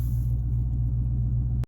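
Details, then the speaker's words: 2016 Dodge Charger, about 175,000 miles, after replacing transmission mount (front motor mounts already done), idling while shifted in and out of gear: deep, even low rumble, no knocks or shudder; seemingly much of the earlier vibration gone. "I'm just moving it in and out of gear here. Seems like a lot of that extra vibration I had is gone."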